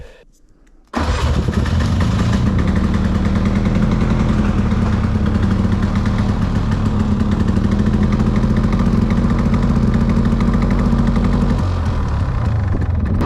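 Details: Old two-stroke Polaris 6x6 after a budget rebuild, maiden run in high gear reverse; fires after a short crank and settles into a steady, even popping run with a deep exhaust note; normal running.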